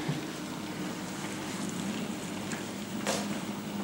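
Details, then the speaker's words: Samsung DMT400 dishwasher, on a cart after replacing the leaky rear hose and the hose underneath, washing normally. Soft, steady swishing of water over a low hum, quiet and even; normal wash cycle. "You can hear it running. It's very quiet."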